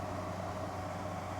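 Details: 6,000 BTU window AC on cool, fan low, set to 73: quiet steady hum with soft even fan whoosh, no rattles or cycling; running smoothly and normally.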